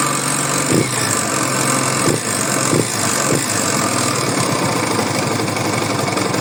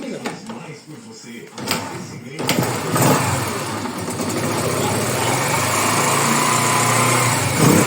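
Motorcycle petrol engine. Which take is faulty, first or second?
first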